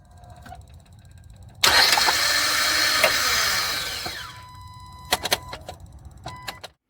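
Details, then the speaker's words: 2011 Hyundai Santa Fe 2.4, intermittent starter failure: harsh high whirring grind for about three seconds fading off, then sharp clicks and no start; failing starter, replaced with a new one. "it's an intermittent problem"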